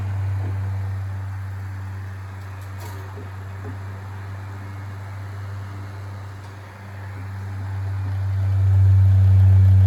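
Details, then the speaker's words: 1970s Sears (Lasko) 9-inch two-speed tilting portable fan, model 453.8100, on high speed: steady low electric hum swells louder with a buzzy edge; vibration noticeable only on high, not low; owner considers thicker oil, cause unconfirmed. "the vibration isn't really bad on the low speed it's on the high speed where it becomes really noticeable"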